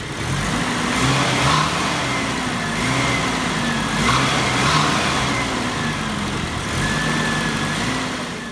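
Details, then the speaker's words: 1989 Mitsubishi Pajero SWB 4WD, newly fitted fan belt with air-con pump removed; revving engine with thin high squeal rising and fading with speed, worse once warm; slipping belt needing more tension. "the fan belt is sleeping especially once it warms up it gets really screechy so we'll tighten it up"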